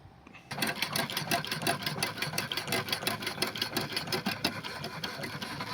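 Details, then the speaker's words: Burrell steam engine after repairing a knock from excessive connecting-rod big-end play due to a worn bush, reassembled and running: steady even beat about three strokes a second with light hiss, no knock; water pump switched on and off. "Running the engine now, the knocking sound appears to be gone. It can be hard to tell with the sounds of the water pump, so I turn the water pump on and off here so you can hear the difference more clearly."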